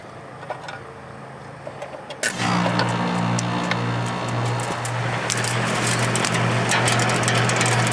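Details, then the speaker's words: Two-speed condenser fan motor on a 14 SEER outdoor AC unit, just replaced, now starts and holds a steady, even low hum; owner thinks the blade may be touching surrounding growth. Normal condenser fan running. "now I think the fan Blade's touching it but now the fan motor is working again and I am happy"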